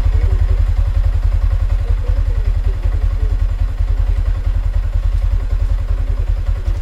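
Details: Sniper 155 motorcycle at 33,856, idling after its first tune-up valve clearance adjustment, tensioner checked okay, fairings refitted: even, steady idle with regular firing pulses and no top-end ticking or rattle. Runs healthy.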